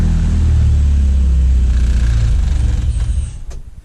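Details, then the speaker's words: 85 engine in a Honda CT70, cold at a weekly winter warm-up, with a worn-out starter: heavy, slow churning at about four beats a second that fades without catching. Slow cranking, hard cold start. "it's kind of cold 85 is not the greatest to start and my starters trash if you can hear that"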